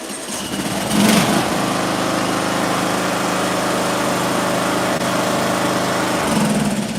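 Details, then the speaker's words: A few pulls, then a small engine catches at once and runs steadily with the ignition coil air gap backed out to maximum after the spark plug gap was closed up. Normal running; the recommended coil gap is .010. "And when we closed up that gap, it fired right up. It fired right up because now we're we're shrinking the little the little jump it's got to make to start it."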